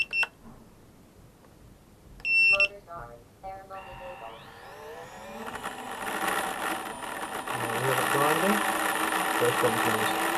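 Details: EMAX RS1106 motors on a 90mm quad (LittleBee BLHeli32 4-in-1 ESC) on 2S then 3S batteries: startup beeps, then a rough, gritty, wavering grinding whine instead of a clean tone; cause unknown.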